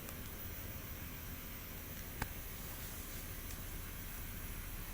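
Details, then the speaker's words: Washing machine on spin after servicing and clutch replacement, drum tightened: quiet steady low hum with faint even whir, no knocks or rattles, little vibration; spin cycle runs smooth and healthy. "Machine अच्छे से काम कर रहा है। ये machine चल रहा है ना कहीं से कोई आवाज नहीं आ रहा"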